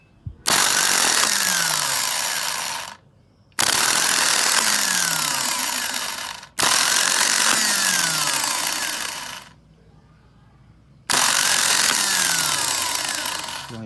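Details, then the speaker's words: Toyota 4Runner starter that had only clicked without cranking, bench-tested on a battery after opening the solenoid side: four bursts of high fast whir winding down after each release; starter spins freely, though a noise inside is to be checked. "Donc pour le moment, ça travaille."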